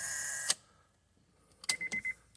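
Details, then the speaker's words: Starter circuit check while cranking with the connector plugged in: a thin electrical buzz cuts off with a click, then a quick run of chattering clicks as the starter solenoid relay buzzes from too little control voltage. "and not enough voltage and you can hear that buzzing"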